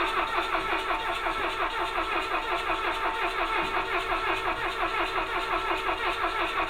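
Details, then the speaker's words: Rally car with points ignition; even starter churning at about three compressions a second that never catches. Spark is present and the float bowl is semi-full; it cranks but won't start. "Should be running. We have spark. We have probably have gasoline. The float bowl is sort of semi-full."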